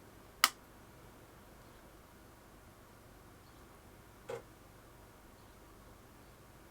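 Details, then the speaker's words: Amiga 500 powered on with the Kickstart 2.0 (37.175) ROM taken from an A500 Plus. Two crisp, isolated floppy drive seek clicks a few seconds apart show normal boot, confirming the ROM works. "That is working. 2.0 ROMs, 37.175, and we can hear the disk drive clicking, so the ROM is fine."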